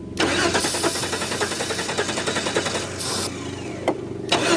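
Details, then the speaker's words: 1992 Chrysler LeBaron Convertible, 3.0 V6 with electrical issues, starting fluid sprayed: starter churns in rapid even bursts with pauses but never catches; no spark, owner suspects the distributor's ignition parts under the cap. "give her gas she's got no spark that she so the same thing happened to the damn Dodge the pickup trucks happened to this car huh"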